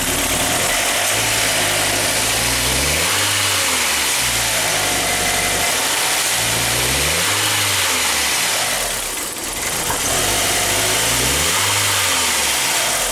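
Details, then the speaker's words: 1999 VW Passat 1.8L turbo cold idle after ignition control module replacement: uneven stumbling misfire with faint knock, car barely moves when floored, drives okay warm; cause found to be faulty mass airflow sensor. "well unfortunately this is what it was doing before when it's cold you can hear it kind of knock in there when it's missing and then at times you can you can floor the thing and it just you can just barely move along the street"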